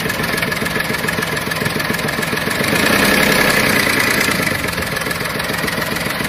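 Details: VW Polo 7 at idle in a Tunisian repair workshop: quick, fairly regular chatter about three or four beats a second over a steady hum; engine noise of unclear source.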